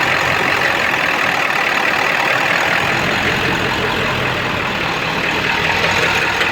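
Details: Ford 7.3 diesel with no power at high idle, puffing blue smoke that smells of raw diesel rather than oil: loud, uneven hunting clatter with no steady beat; EGTs are good and the cause is not yet found.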